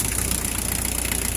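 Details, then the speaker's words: 1981 VW Rabbit with 1.6 turbo diesel swapped from a 1991 Jetta; even, steady diesel clatter at idle with regular beat, no misses or knocks; sounds great, runs great, healthy idle. "and uh it's a fun little thing sounds great runs great"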